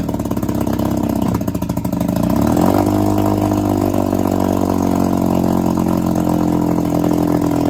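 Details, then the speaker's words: 1962 Viking 15 hp two-stroke outboard after refurbishment with replaced coils and set points: catches, picks up revs, then settles into steady even buzz with no knocks or misses; normal running. "It sounds like it'll run pretty well. So, uh, I'm happy with that."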